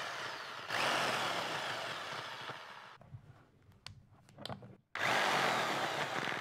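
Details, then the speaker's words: Makita HR2400 rotary hammer from the 1980s–90s, after disassembly and repair of a drill bit stuck in the quick chuck: strong steady motor roar with hammering rattle, brief stop, clean spin-up; drilling, chiseling and rotary chiseling all work normally. "les trois fonctions qui sont le perçage burinage et de burinage en rotation fonctionne"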